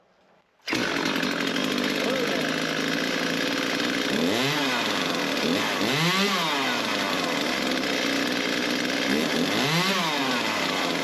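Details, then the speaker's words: Echo CS-355T chainsaw after primer bulb replacement (part 188-512-1) and fuel lines rerouted: bulb primed, fires up at once to crisp two-stroke buzz, revs rising and falling cleanly several times; runs healthy, repair successful. "Alrighty, I think that's got us a chainsaw working. I think we'll call that a project well done."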